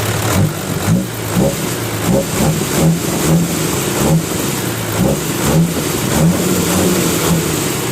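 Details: Diesel 6HH engine (210) with owner-reported lack of power, after injection pump tune: repeated quick throttle blips, picks up cleanly and drops back with even firing, no misses or knocks; normal revving.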